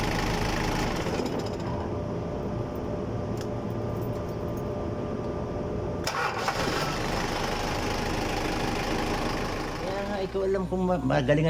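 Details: Diesel engine that had been struggling to start, heard after the repair: it settles into a steady, even low rumble with no misses or knocks; healthy, normal idle.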